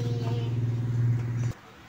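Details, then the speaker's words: Micromatic single-tub washing machine noisy when spinning: hand-turning the empty, unpowered drum gives a loud wavering low hum-drone for a second and a half; worn gearbox, to be replaced. "Kahit na hindi mo siya paganahin malalaman mo na sira ang gearbox niya ganito lang tinit mo lang yan sa amo pa ikot bigla Ayan oh Pag inano mo ibalik mo gagad gad yan So ibig sabihin maingay"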